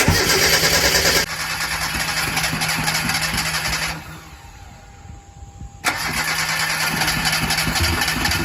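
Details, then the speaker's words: Mazda NA Miata MX-5 first start after new camshafts were fitted: cranks, catches and stumbles unevenly, dies, then restarts with a ragged, uneven beat; misfire on start-up, ignition timing thought to need setting. "oh we probably gotta do ignition timing give it one more try I don't want to damage it it's just like misfiring but"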